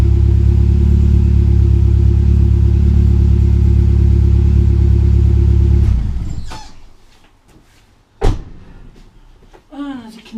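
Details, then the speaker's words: 1995 BMW E36 318i at idle with much of the rear exhaust section and tailpipe missing: loud, deep, droning unmuffled rumble for about six seconds, exhaust blowing out where the rear silencer is gone. Rear section replaced afterward. "Okay, as you can see, I've got quite a bit of the rear section of exhaust missing. The end of the tailpipe. I'll fire it up and you'll see what it sounds like."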